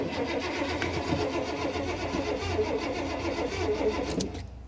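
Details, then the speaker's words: Car at salvage auction: starter churns steadily about four beats a second for several seconds, never catches; crank no start, owner suspects no gas. "let's turn this off again come on old girl give her a minute here she's probably got no gas"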